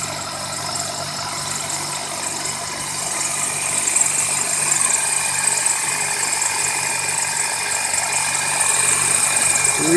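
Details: 2001 Toyota Corolla, first cold start on damp mornings: thin high-pitched squeal and chirp over the idle, also on light throttle from a stop, from the left side; belt or tensioner suspected, not confirmed.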